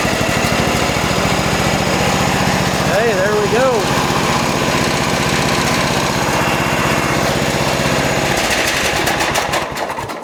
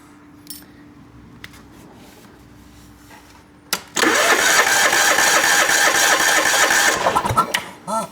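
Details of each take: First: John Deere lawn tractor small single-cylinder engine with a crank no start, after a fuel pump check showed good flow to the carburetor; fires up into a steady, even chug with no misses or knocks; normal running. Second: John Deere lawn tractor with a substitute, not-quite-right fuel pump fitted, pump pulsing: even cranking about four beats a second for three seconds with no firing; no start, suspected air leak in the fuel line, checked with a vacuum pump.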